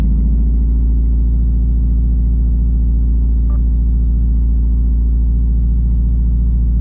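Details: 2017 Subaru WRX cold start: deep uneven throb with cylinder 3 dropping out, codes P0303 and P000F logged on a Cobb AP, misfire count reaching 100. Fine at WOT and when warm. Cylinder 1 and 3 plugs replaced; owner suspects an internal cause from oil on the cylinder 3 plug. White smoke seen.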